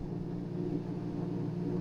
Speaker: This is the noise and this humming noise it could